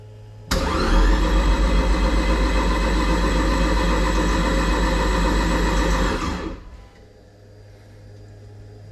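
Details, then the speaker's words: Toyota MR-S with big turbo 1.8 20V swap and Ignitron ECU, first start attempt, no coolant: starter spins evenly about six seconds with steady compression beats, never catches. No spark, because spark plugs and ignition coils were not yet installed. "no start okay I just thought of something you know what's quite useful to enable a car to start like spark plugs and ignition coils"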